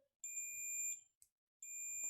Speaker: और अब दोनों प्रोक्स को आपस में टच करना है इस तरह से। तो अभी बीप की आवाज नहीं आ रही। इसको थोड़ा सा नीचे ऊपर करेंगे। तो इस तरह से बीप की आवाज आनी चाहिए।